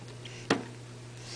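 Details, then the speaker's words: 12AX7 preamp tube on a high-gain noise-test fixture (150 V plate, 12.6 V DC heater), tapped with a pencil: sharp taps ring through the speaker over mains hum, with sawtooth ripples; tube extremely microphonic. "this trial is extremely noisy as you can hear the tapping clearly through the loudspeakers of the amplifier"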